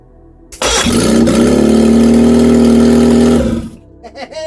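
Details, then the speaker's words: Reliant Regal Supervan 3 engine on the workbench, first run after correcting two leads that were the wrong way round, oil hot: catches at once, steady even beat for about three seconds, then cut off. Runs clean. "first run oh yes I've cut it off because I didn't want it to run away that is awesome"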